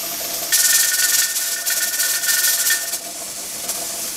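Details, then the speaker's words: Pressure canner on reduced heat during processing time: a hissing steam burst of a couple of seconds that falls back as the weight rocks, which should happen one to four times a minute; normal weight rocking. "we want to continue to listen for it like I said you want to rock one to four times a minute"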